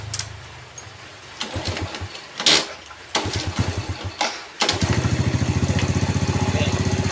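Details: Yamaha Vega ZR with spark plug gap back at standard: several start attempts fail to catch before it fires into a lumpy, pulsing idle; stumbles and dies on throttle; weak ignition.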